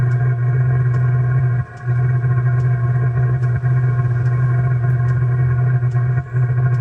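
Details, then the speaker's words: 2 kW Chinese diesel heater in a 1997 Mazda Bongo Friendee diesel, restarted after clearing an E-07 code by reseating the harness: lit early with too much fuel, steady low hum with brief dropouts as the burner falters and recovers, running rough while warming. "it did come on a little early there was a little too much fuel in there still let's see if it can correct itself"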